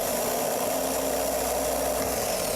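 Steady, even whirring drone of the starter spinning the engine with no grinding or clicking; cranking sounds normal.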